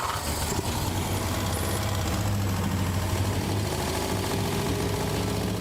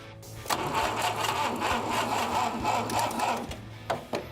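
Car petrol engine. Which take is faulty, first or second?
second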